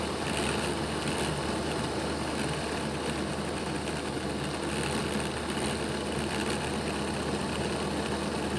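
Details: Bachmann Dash 9 model locomotive, run in reverse, rear motor block: constant coarse, buzzy growl; the motor sits misaligned in its housing, fixed by reseating it against its contact strips.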